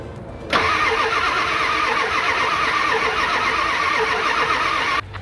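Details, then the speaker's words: 1997 Ford F350 Powerstroke diesel, 139,000 miles, abandoned auction truck: starter spins steadily about four and a half seconds with oil pressure but never fires. "Okay, it cranks, so that's good. All right, let's see if we can get it to start. Okay, nothing yet."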